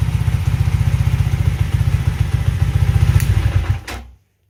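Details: Alpha Delta Vento 110cc four-stroke moped running after a knocking suspected-fake piston was replaced with a supposedly original one: soft, even low thump with no knock before it is switched off and winds down; it sounds healthy.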